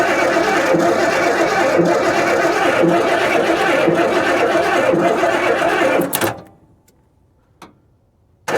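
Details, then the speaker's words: 1991 Ford F150 4x4 (owner's son says 1994) that sat outside for years, being jump-started: steady rhythmic cranking for six seconds that never fires. Crank, no start. "Guess let's just try jumping it. See what happens. Cuz that's not working for some reason."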